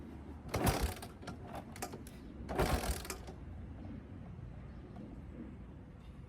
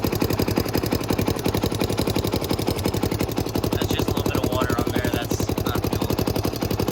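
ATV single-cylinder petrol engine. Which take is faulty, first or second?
first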